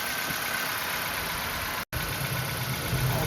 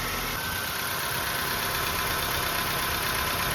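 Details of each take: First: 2005 Nissan Pulsar N16, 220,000 km, original ignition coils, idling with one coil pulled: uneven lumpy idle with an irregular beat and brief cut-out, one cylinder dead and unburnt fuel smell, before replacing the coils with aftermarket ones. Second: 2005 Nissan Pulsar N16, about 220,000 km and nearly 20 years old, idling right after replacing the original ignition coils with aftermarket ones to cure misfires: steady, even idle with only a faint ticking, running better than before.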